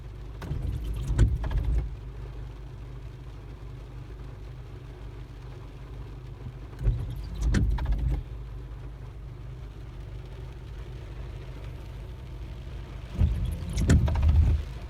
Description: After applying the rain-x on the windshield, it makes this sound when the wipers are on. The blades are new.